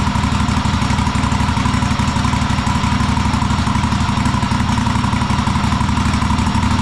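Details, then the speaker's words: Cub Cadet Super LT1554 lawn tractor, 27 hp Kohler V-twin, 500+ hours, after head gasket rebuild, carb cleaning and an adjustment, air box off: steady even low thrum, no misses or surging; engine running correctly. "And uh engine sounds really good. Well, it's a huge sigh of relief when you get the engine running correctly, especially after rebuild."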